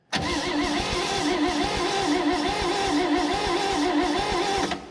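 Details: 1965 Chevrolet Bel Air, 230 inline six, sat 35 years, cranked with a jumper wire from starter positive to coil positive. Steady, even cranking for about five seconds with no firing at all. No spark, so the points are suspected.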